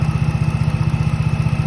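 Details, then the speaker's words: 2007 Dodge Charger SXT 3.5L that died while driving and only cranked because the tank was empty, after adding 4 gallons of gas: an even, steady idle with a smooth low drone and no knocks or stumbles. It runs fine. "put in some gas and voila look at that it runs"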